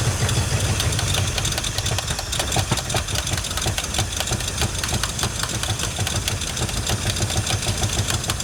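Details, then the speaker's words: Abandoned 1979 Ford F150 with modified 351 V8: uneven loping idle with irregular stumbles near stalling, won't restart without pumping fuel in; owner thinks fuel pump fine and carburetor clogged, though weak pump not ruled out. "I think the fuel pump's fine. I think our issue lies in this carburetor."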